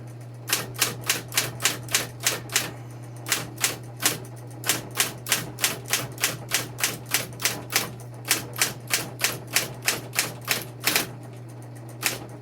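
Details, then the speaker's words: Smith Corona Coronet Electric 12 portable typewriter, motor running: crisp quick key strikes about three per second over a steady motor hum, carriage returned at the bell ding, keys returning cleanly with none sticking; normal typing. "So, you know, so each character, like this is the way you would return once you hear that ding. So, you know, none of these are sticking."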